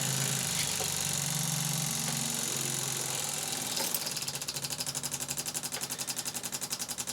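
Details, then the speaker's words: Rover 4.6-litre V8 before first crank, fuel pump powered after a wiring fix: high buzzing hum slows into a steady pulsing whir as pressure builds, then ticks evenly; normal fuel pump priming. "It's making some funny noises. Good, good. Funny noises? Well, as in pumps really slowing down funny noises. Well, it sounds like it's getting building pressure then, doesn't it?"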